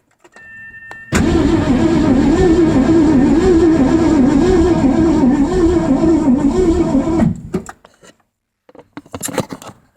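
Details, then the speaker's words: Ford 302/5.0 V8 in a Mazda RX-7, sat nine months, old plug wires, one plug grounded for a spark test: the starter cranks steadily for about six seconds without firing; crank no start with weak spark. "so I don't know if you can see it there but that was uh some pretty weak spark"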